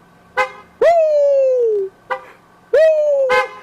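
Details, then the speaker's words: 1998 Dodge Caravan after clock spring replacement, with the airbag light now gone: two firm horn blasts of about a second and under a second, steady mid-pitched tone with a slight fall. The horn that previously didn't work now works. "The airbag light is gone. Let's see. Now, my horn should be able to sound."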